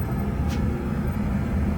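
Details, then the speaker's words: Oil-fired hot-water heating furnace after replacing a faulty Taco zone valve head that left bedrooms unheated: steady low roar with even rumble, no pulsing or sputter; burner lit and firing normally. "Furnace firing. Problem solviendos."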